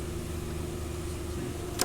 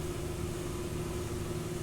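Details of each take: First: Ford Focus EcoBoost that cranked but would not start because the timing was disturbed during a water pump replacement, now re-timed: the engine fires and settles into a steady, smooth idle with one brief clatter; it runs normally now. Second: Ford Focus EcoBoost cranks with a steady low drone and faint whine but never fires, though fuel and spark were present. The valve timing was disturbed when the owner replaced the water pump; after retiming, the engine started.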